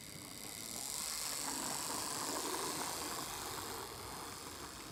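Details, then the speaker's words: 40-year-old Hornby Class 37 model locomotive after fixing its squeal, work on the wheel: light even hum and hiss with no squeal or catching as the motor runs steadily; quiet and smooth. "It's quiet and right down, and it's very smooth and it's a good ride."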